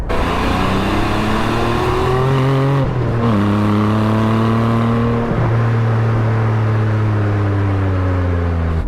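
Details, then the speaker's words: Porsche 718 with the 4.0-litre naturally aspirated flat-six on its stock exhaust with particulate filter, driving: a low, flat, characterless drone climbing with revs and dipping at gear changes. Normal exhaust drone. "what i mean it's just horrible it's a horrible characterless drone i'm sure they've done everything they can but the dreaded particulate filters and euro regulations have absolutely strangled this beautiful engine"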